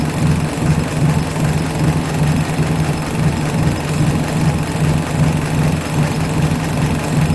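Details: 1983 Suzuki Jimny SJ410 with rebuilt stock F10A engine, Aisan carburetor, straight-pipe exhaust, after cold valve lash set to 0.10 mm intake and 0.15 mm exhaust: even, steady idle with a soft pulse of about 2.5 beats a second and no ticking; running smoothly.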